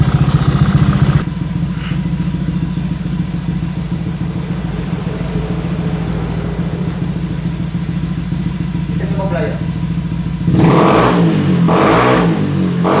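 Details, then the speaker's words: Honda Beat new fuel-injected scooter after idle adjustment (screw turned up to five turns); a steady, even idle with crisp, clean throttle blips and no hesitation. No longer sluggish, normal revving. "oke kawan-kawan motornya sudah enak sudah Enak pokoknya ini motornya sudah nggak lemot lagi stasionernya sudah bagus"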